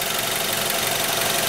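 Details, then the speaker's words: 2012 Mazda 3, 2-litre 148 hp engine, about 10,000 miles, automatic, engine cover on; even steady idle with faint fast regular pulse, no knocks or ticks; owner notes it vibrates somewhat at idle; normal idle. "It vibrates somewhat at idle. I don't think the camera picks it up, also partially because it has image stabilization."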